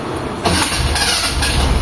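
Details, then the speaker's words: Mitsubishi Lancer EL 4G13 carbureted, freshly overhauled, before repair: engine catches and settles into a lumpy, uneven beat with wavering idle; engine tune poor, carburetor out of tune; fan also runs before starting. "Ayun medyo hindi maganda yung ano niya yung tono ng makina niya."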